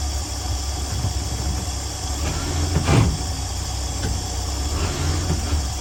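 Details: 1965 Dream 21 van with an old V8, first start after a wiring short repair, oil pressure line failure and horn relay replacement, after a dead battery: steady, even low rumble with no misses, knocks or ticks; smooth, healthy idle with no leaks.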